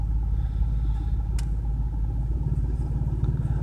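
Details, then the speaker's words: BMW 335i cold start the morning after spirited driving, sitting a few hours: lumpy, stumbling idle misfire with screeching at startup and heavy fuel use; faults show rough running over limits on cylinders 4 and 6, possibly not firing on 4, 5 and 6. "Cylinder 4's gone over the limits for rough running. Cylinder 6 is way over the limits."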